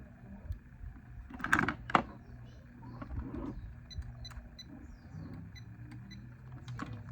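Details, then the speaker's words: 2010 Jeep Wrangler relay (79.7 ohms coil, heavier pins) bench-tested with voltage applied: crisp single click every time, no chatter; relay works, though connections were dirty. Cold-start clicking later traced to a loose negative battery terminal. "And yeah, it's working every time."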